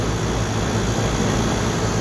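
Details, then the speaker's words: Dual-stage package unit compressor at a restaurant: a loud, rough, steady droning hum, running but not pumping refrigerant. The scroll is running in reverse, suspected from swapped leads after electrical work. "So the system, when it's kicked on, the compressor sounds like it's running, but it's not. It's just making noises, but it's not pumping freon."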